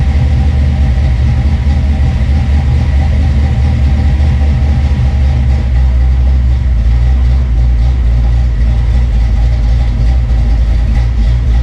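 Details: Retro Fox V8 just fitted with 170cc SVE aluminum heads, running on open headers with no coolant yet in the system: deep, steady rumble at idle with no knocks, misfires or ticking; engine sounds healthy.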